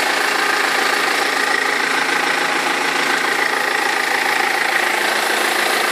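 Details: 2003 BMW E46 320d diesel at idle: steady, regular knock-and-rattle about three per second from the front of the engine, a perished crankshaft pulley vibration damper; both belts eventually fell off.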